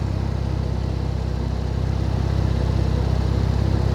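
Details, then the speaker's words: 2012 Camaro being rebuilt, non-V8 engine idling after a radiator repair, earlier brief odd noise thought to be the computer box touching a pulley: smooth, quiet, even low hum with no chain rattle or tapping; normal idle. "It ain't no V8, but I'll tell you what, it sounds good. Listen how quiet that is. Isn't that amazing?"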